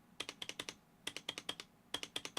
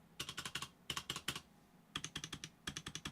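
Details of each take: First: Roccat Vulcan 120 Aimo with upgraded PBT keycaps: bursts of crisp bright key clacks, clean short decays, sturdy space bar with no rattle, unlike rattly Cooler Master and Corsair boards. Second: Cooler Master mechanical keyboard space bar with PBT keycaps: quick bursts of sharp, clattery strikes with a tinny ring, rattling heavily.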